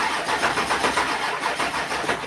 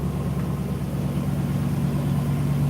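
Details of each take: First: 1972 Ford F250 FE engine, hot day, cranking after fuel pump work: uneven, labouring crank pulsing about five a second, fails to catch; slow cranking, owner suspects dead batteries or bad battery connections. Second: Carburetted engine idling, heard near the engine bay. Deep, even rumble with a steady low thrum, no knocks or misses. Normal idle.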